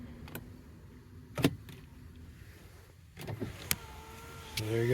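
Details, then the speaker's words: 2009 Honda Odyssey after holding the switch for reset: switch click, then window motor hums at steady pitch through a full automatic run without stalling. Auto window works normally. "automatic works all right"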